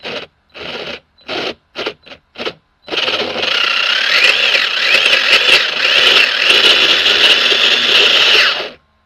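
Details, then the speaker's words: Old nitro RC car converted to electric, first throttle test after mounting the motor: a few short bursts, then a harsh rattling grind under throttle; pinion not meshing properly with the spur gear and eating its teeth. "That sounds horrible. So yeah, that's that's eating up the okay, that's eating up the gears."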